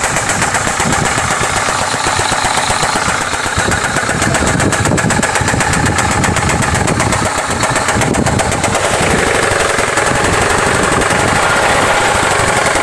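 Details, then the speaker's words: Hyundai engine on start: loud, harsh running with an uneven deep knock two to three times a second under the clatter; teardown found the number two connecting rod bearing completely worn. "মূলত সমস্যা আপনারা দেখতে পারছেন দুই number যে কানেক্টিংটা আছে সেটার ব্যাগেন একদম খেয়ে গেছে তো সমস্যা এটাই ছিল এর জন্য আমাদের গাড়ি স্টার্ট করলে প্রচন্ড সাউন্ড"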